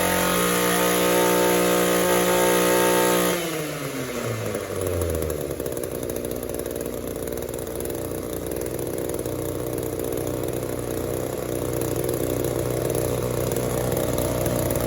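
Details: Echo two-stroke trimmer on the bench, leak-free with a clean fuel filter, after adjusting the hidden carb screws: it drops from a high scream and stumbles through the midrange into a buzzing run. It bogs between idle and wide-open throttle from a lean carburettor.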